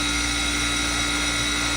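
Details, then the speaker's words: Manitowoc commercial ice machine in a cafe, vent hoods off: loud steady hum with a fixed high-pitched whine and even hiss, no knocking or rattle; running normally. "Really loud. It depends on what you get, right? So loud, isn't it?"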